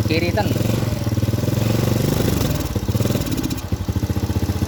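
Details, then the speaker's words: Honda Supra Grand carbureted single with a history of black, fouled spark plugs, during carb needle adjustment: revs rise and fall with a thin, slightly hunting pulse; the mixture is set too lean. "yang disebut efisien, teman-teman. Terlalu kurus."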